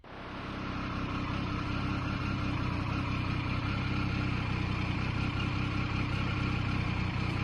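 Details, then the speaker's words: Triumph 900 Trident triple after alternator rattle fix (bolt refitted with Loctite and tightened): even, steady idle with smooth low hum, no rattle or tapping; sounds healthy. "there we go very happy with that let's stop that Rattle"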